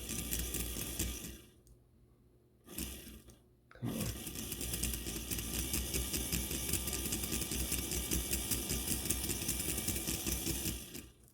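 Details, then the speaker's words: Life-Like Proto 1000/2000 model locomotive with cracked axle gears: a fast, light ticking whir with stops and restarts as the gear jumps, and it locks up outright in reverse. The drive binds from a cracked axle gear. "If you can hear that and see how this gear is jumping, and if I reverse it, it's actually just straight up locking up. Yeah. So this is the symptom that you should look out for."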